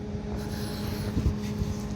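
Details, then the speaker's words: Old Comfort Star R22 split-system compressor, breaker tripped: steady low hum with faint grumble, not reaching running speed; internal damage, oil return problem suspected. "It sounds like it wants to run. It sounds like there's damage inside of it."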